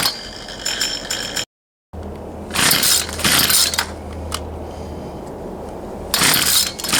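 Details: Poulan Pro 222 38cc chainsaw, before the repair: it catches in ragged short bursts, cuts to silence, stumbles again and won't hold. This is fuel starvation because the fuel lines were routed incorrectly; the return line had earlier been found missing.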